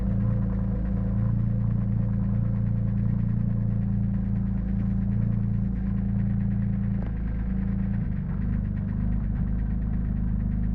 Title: rough idle at start, settles after initial warm up